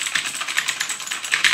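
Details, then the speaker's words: Allreli K643 RGB mechanical keyboard with Blue clicky switches (not genuine Cherry despite the claim), AZERTY: fast run of crisp, high, even clicks, about eight presses a second; loud but normal clicky switch typing, each press clearly confirmed. "plutôt entendre, il fait beaucoup de bruit. Donc il faut aimer, donc il y a certaines personnes qui aiment bien, hein, vu qu'on a bien, dès qu'on clique dessus, on sait bien dès que la pression a été validée."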